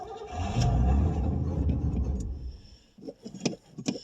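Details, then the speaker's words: 1989 Pontiac Safari wagon, off the road 18 years, cold start: catches and runs unevenly about two seconds, surging and sagging, then dies; badly fuel starved, gummy carburetor, plugged main jets, old gas or empty tank suspected. "Okay, it kind of kind of will run. Now I say that. Yeah, she's just lacking fuel really bad."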